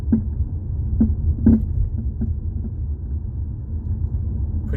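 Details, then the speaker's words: 2018 Jeep Compass driven over bumps, mic underneath near the floor: sharp knocks about once a second over road rumble; most likely worn front sway bar links (plastic with metal joints), not thought to be a ball joint. "Most likely to me, it's usually the sway bar links. That's what makes that noise when you're on the ground."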